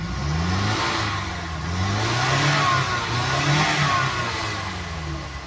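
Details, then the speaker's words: Mazda CX7 after a fix for code P2177 (system too lean off idle, bank 1; low fuel pressure named the main culprit) and with codes cleared: the engine climbs cleanly and settles with no hesitation. Normal acceleration. "Yes, right now the vehicle is working perfect. Acceleration is smooth. See no hesitation."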